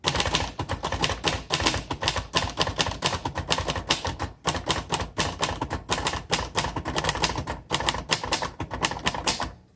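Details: 1960 Royal Heritage 551 portable typewriter: quick even bursts of soft, muffled key strikes with crisp little ticks, steady rhythm; buffered, noiseless-like sound, unclear if by design; healthy action.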